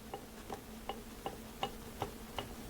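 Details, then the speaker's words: Chrysler Town & Country A/C compressor, removed and turned by hand on the bench: sharp even clack-clack clicks about three per second from the badly damaged clutch, which made this noise while the engine ran. "so it was making this noise clack clack clack clack clack when the vehicle was running okay when the engine was running this was making noise okay hear this"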